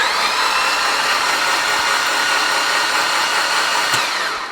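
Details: Freshly built 800whp Mitsubishi Evo X engine cranked with plugs out, no fuel pressure, to build oil pressure before first start: smooth steady high whir with no compression chuffs; oil pressure reached about 21 psi.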